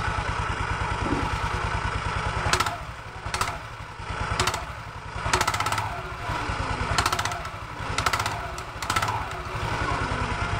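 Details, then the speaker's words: Automatic scooter, CVT cover open: smooth idle, then dry rattling clatter with each light initial throttle opening from the rear pulley, clutch lining area. "disaat tarik gas awal bunyinya persis suaranya di sekitar sini ya teman-teman Ya di bagian puli belakang persis di area kampas gandanya ya"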